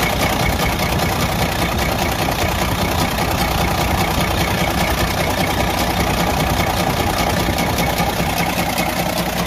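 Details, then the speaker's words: Detroit DD15 diesel idling with a loud, steady metallic knock from the front of the engine; connecting rod bearing spun completely out of place, letting the rod move around; engine torn down for overhaul, crankshaft damaged. "the connecting rod was actually just moving around and that was the reason why I was making that loud noise when the engine was running"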